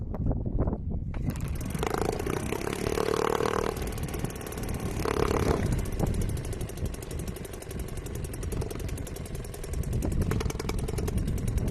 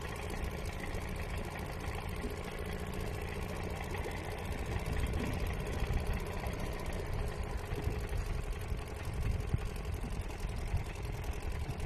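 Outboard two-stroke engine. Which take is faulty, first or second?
second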